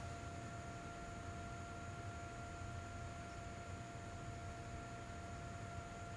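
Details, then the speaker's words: Peavey Bravo 112 guitar amp sitting idle with nothing playing: a quiet, steady hiss and faint hum from its built-in cooling fan. The fan is audible but does not interfere with the amp's sound. Normal. "There's a built-in fan to these amps, and it does add an audible noise. It doesn't interfere with the audio, like the circuit of the amp still sounds fine, but you can hear it."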